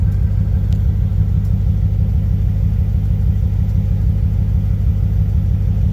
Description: Intermittent misfire on my 1995 Corvette